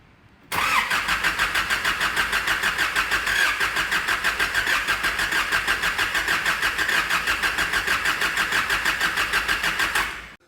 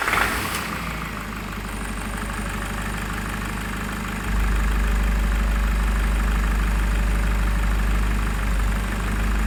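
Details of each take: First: Nissan ZD30 3.0L turbo diesel with over 415,000 km, blown head gasket case: even starter chugging about three pulses a second for nine seconds without catching; it fired up on the second key turn. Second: Nissan ZD30 3.0L turbo diesel, over 415,000 km with untouched bottom end, after blown head gasket repair: fires on second key turn after brief crank, settles into steady even diesel clatter with no knocks or misses.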